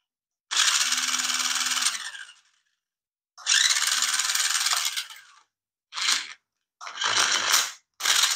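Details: Nikko 9045 RC Teenage Mutant Ninja Turtle Party Van (2.4GHz), previously taken apart: short bursts of high, raspy whirring with a gritty grind underneath; the gearbox doesn't sound right, possibly something slipping or loose, not confirmed.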